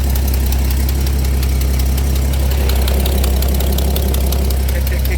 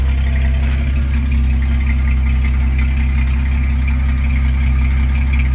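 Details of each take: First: 1983 Dodge D150 V8 idling with muffler removed (mouse nest): sharp ticking about four per second over the rumbling idle from an exhaust leak at the manifold; owner may have to replace the gasket but fears breaking studs. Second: 1983 Dodge D150 V8 after fixing a no-start possibly caused by the rotor jamming into the distributor cap, muffler removed because of mouse nests: deep, steady, even idle through loud open exhaust, no miss or knock. Normal idle; a separate exhaust-leak tick was noted.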